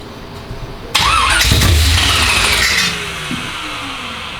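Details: First start-up of a 355 small-block Chevy in an El Camino project, no fuel system fitted yet: starter cranks, catches with sudden loud roar, runs rough and lumpy briefly before dying.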